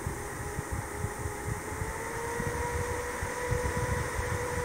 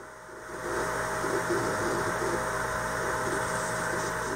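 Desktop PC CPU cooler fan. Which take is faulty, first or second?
second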